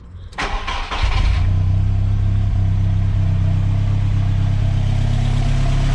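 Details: VW MK2 Golf hot start after its hot-starting problem was fixed by fitting a MK4 starter: a brief crank, then the engine catches within a second and settles into a steady, even idle.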